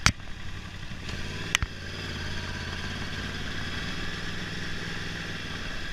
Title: R1 2011 misfire